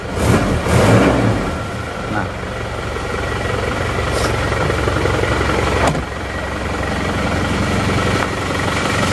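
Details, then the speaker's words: Isuzu D-Max diesel after nozzle repair, manifold refitted, cold engine in the morning, idle about 750 rpm; steady even beat, no shake or misfire; normal idle. "Oke hasilnya seperti ini sudah normal ini seperti biasa mesin yang normal tidak goyang-goyang hidupnya rata"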